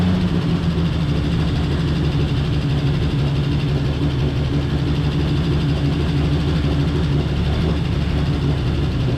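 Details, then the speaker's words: 1949 Chevy Fleetline 216 six after freeing stuck lifters and replacing bent pushrods: steady, even low note with no ticking, revs hard before running out of gas; running smoothly. "[Music] it revs pretty hard right before it runs out of gas"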